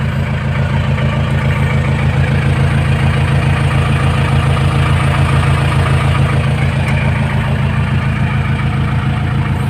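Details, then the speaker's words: 1997 Nissan Big M pickup, BD25 2.5 L direct-injection four-cylinder diesel: deep, steady beat at idle holding an even rhythm, no knocks or misfires; idles normally. "วันนี้อ่านี่เขาติดเครื่องอยู่หน้าเดินเบาอยู่นะครับเครื่องติดปกติไม่มีปัญหานะ"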